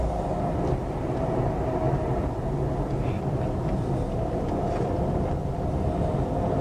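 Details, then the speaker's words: Front-wheel-drive car driven at speed with windows up, heard from inside the cabin; a steady low growl under road rumble with no rhythmic pulsing and no change when cornering, suspected final drive rather than wheel bearing, unconfirmed. "now typically a wheel bearing noise will give you a rail rail rail railroad noise whereas a differential noise will be consistent growl let's just ever listen [Music] hear that growling noise"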